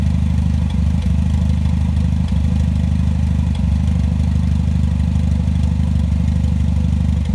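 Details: Toyota 3S-GTE gen 3 at idle after warm-up: low idle with an uneven thump breaking the rhythm roughly every second; rough idle with misfire, cause unknown.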